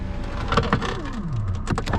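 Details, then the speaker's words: 2010 Hyundai Elantra power window: motor whirs with a falling then steady pitch amid clicks but the glass doesn't move; motor works, window regulator failed. "So the motor is working, but the regulator is not working. It's not pulling the window up and down."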